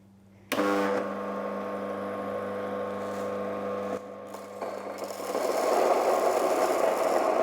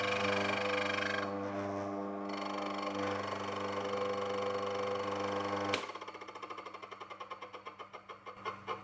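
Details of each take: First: Mockmill 200 grain mill set around 17-18 for coarse oats: switches on to a steady even hum, then a rising gritty rush as oats feed through the stones; normal running. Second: Mockmill 200 grain mill running while resetting the adjustment lever: steady motor hum then light even ticking, about three or four a second, as the millstones just touch at the finest zero-gap setting; tightening further could damage stones.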